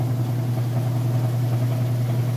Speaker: spinning full blast full speed here you can see it sounds great nice balanced